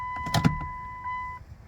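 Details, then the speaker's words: 2000 Chrysler Sebring after installing a new fuel pump and filter. A short electric whir with a thin steady tone lasts about a second, then shuts off; the new pump primes normally, heard from the rear. "Yeah, we're getting some fuel there. Prime it a few times here. I hear it back there."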